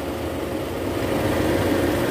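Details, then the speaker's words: 2010 Toyota Vellfire, 2AZ-FE 2.4 L, after balancer shaft replacement, from start-up: smooth, even low idle with no knock or rough rumble; engine sound back to normal. "Oke Guys Jadi sekarang udah nggak ada suara kasar ya di bagian mesin ini suara mesinnya udah normal kembali setelah penggantian balancer Sharp"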